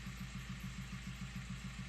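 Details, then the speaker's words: 2003 VW Passat B5 1.9 TDI 130 hp AWX/AVF pump-injector diesel, cold at 27°C, starts poorly, injection 7-8 mg vs 4-5 wanted: regular low knock about six a second at idle; suspected camshaft or exhaust lifter fault. "Поганенько він запускається, бачимо температура 27 градусів, бачимо обороти у загальному по оборотах більш-менш."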